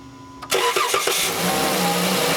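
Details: 3.6L Volkswagen Routan (Chrysler Town and Country) with a hard or no start when cold. After a fuel pressure gauge check it cranks briefly and catches straight away into a steady idle, a clean start.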